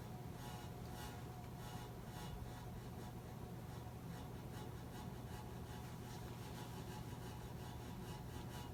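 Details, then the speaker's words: 2004 Casablanca 19th Century 54-inch ceiling fan, XLP-2000 motor, Inteli-Touch control, two blades: quiet steady low hum with faint rhythmic blade swish and noisier airflow; hum stops instantly at switch-off, owner suspects electrical noise, cause unclear. "And it makes some noise, I'm not sure why. The noise stopped right when I turned it off, so it seems to be some electrical noise."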